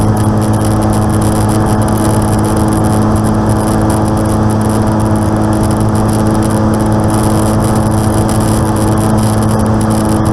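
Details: Aircraft N735D after spider replacement, engine at idle at altitude, on approach and over the runway: steady low drone with a persistent hum; abnormal noise, cause unconfirmed.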